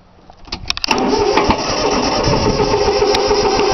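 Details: 3-cylinder Yanmar diesel on a cold start with repeated glow-plug heating. Quick uneven cranking with a few weak puffs, but it never runs, because the fuel lines weren't bled. It usually starts right up.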